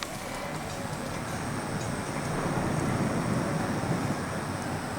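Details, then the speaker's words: Selena B215 (Okean) radio at minimum volume after replacing electrolytic capacitors, increasing capacitance after the rectifier bridge and rewiring the bridge: only a steady low hiss, previous mains hum gone; normal background hiss. "Тільки шипить. Це супер, да? Видимо, оце доработка Григорія Вервкіна работає."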